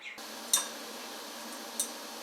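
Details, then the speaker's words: Stick welding stainless steel at about 30–35 amps, uphill angle: after the weld, two sharp high metallic tings about a second apart as slag pops and cracks off while cooling; normal. "you have to run at an uphill angle because of the way the slide is and you hear that popping you hear the tinging after I'm done"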